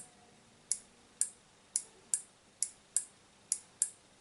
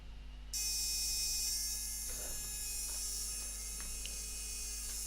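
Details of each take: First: Relay on a homemade Arduino Mega battery tester/charger board, driven from 5 V: crisp, clean single clicks, about nine in four seconds, so the relay is switching properly. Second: Arduino-based battery tester/charger circuit on strip board: as voltage wound up, relay chatters with fast high-pitched buzz and crackling over hum though it should be idle; solder bridge on its drive circuit. Relay chatter from solder bridge.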